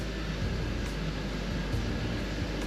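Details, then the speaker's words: BMW 330i drift car, previously made nasty noises when the clutch was pressed: steady low idle with pedal down, no rattles, squeals or grinding; clutch disengages quietly and normally. "okay that's the slowest clutch engagement that I've ever disengagement that I've ever done but it feels good there's no nasty noises"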